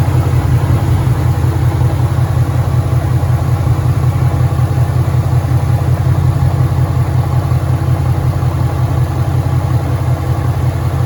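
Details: 2013 Ford Mustang GT 5.0 Coyote V8, manual, 81,500 miles: loud steady idle with a regular low thump about 160 per minute over the engine note; suspected rod knock, worse after driving, and the car keeps shutting off after long drives.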